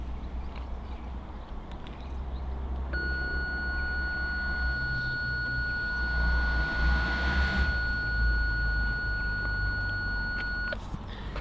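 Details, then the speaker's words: BMW 3 Series parking sensors, in reverse after fix: continuous high electronic beep for several seconds over low hum as someone approaches the rear; parking sensor warning now working (previously single continuous fault beep then disabled). "And right now, I'm just going to go to the back of the car and you'll hear it go off."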